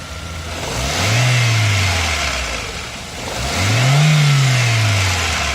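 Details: 2013 Ford Fiesta Zetec Rocam 1.6 at 65,500 km, oil changed at 64,000 km with correct Ford oil, level OK; revved up and let fall twice, rough noise rides the drop in revs, owner suspects cylinder head; oil and check-engine lights came on.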